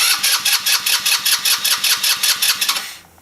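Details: Back-yard-find 150cc Velocity scooter on a jump pack: starter spins the engine with even compression pulses, about two and a half a second, but it never catches, then silence; cause not confirmed.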